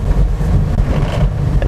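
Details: Used car on rough road with the steering released to check that it tracks straight: steady low road rumble with no clunks, knocks or rattles from the corners; suspension sounds tight and healthy.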